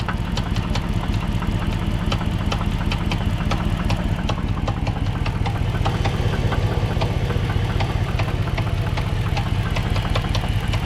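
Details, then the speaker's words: 2005 Dodge Magnum R/T, bought blown up: idling with a deep steady knock about two or three per second under lighter top-end tapping; owner suspects failed lifter plus possible rod bearing knock, likely full rebuild. "there is definite tapping up top on the top end that's what you hear there and then the knocking might sound like a rod bearing"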